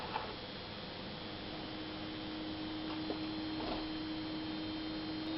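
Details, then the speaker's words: 1995–1996 Jeep Cherokee XJ 4.0 petrol after immobiliser bypass, ignition on, engine off: quiet, steady electric hum at one pitch; fuel pump priming normally and building pressure. "fabulous I can hear the pump working that's burning under pressure that's brilliant"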